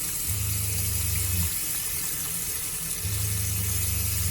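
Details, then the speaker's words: Shurflo RV water pump on shore power with the charger in bulk charging (higher battery voltage): low hum switching on about a second, off, repeating every three seconds; pump short cycling, which an accumulator tank fixes. "note that the pump is cycling more because I'm on shore power the battery is being charged"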